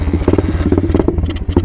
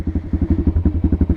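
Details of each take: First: Apollo 125 RFZ Chinese dirt bike, completely cold engine at about 50 degrees, on half choke with no throttle: uneven, lumpy single-cylinder idle popping irregularly then fading out, idle needing adjustment; rough cold idle. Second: Apollo 125 RFZ dirt bike, cold, in neutral on half choke, idle adjusted: even low thumping at about ten beats per second, steady with no misses; normal cold idle on half choke.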